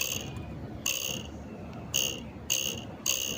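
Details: Easyride 150Fi motorcycle at idle: short, high-pitched metallic vibration buzzes near the visor, traced to a cracked horn bracket letting the horn vibrate.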